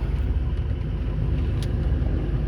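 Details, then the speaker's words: 2007 Ford F-250 4WD, 6.0 diesel, 147,000 miles, cold start after sitting a couple of days, glow plug code present: low, smooth, even idle with no stumble, knock or smoke; engine healthy. "We're gonna give it a cold start. It's been a couple days. Starts up great. Sounds like a really good 6.0 should. Idling very smoothly."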